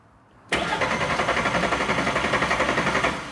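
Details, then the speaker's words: VW 07K 5-cylinder swapped into a MK1 Caddy, first start attempt: strong, even cranking at about four pulses a second for three seconds, never firing; no fuel pump running. ">> That sounds >> It cranks actually. Sounds great. Yeah, it does actually. Zayn, do you have any fuel pump back there? >> Nothing."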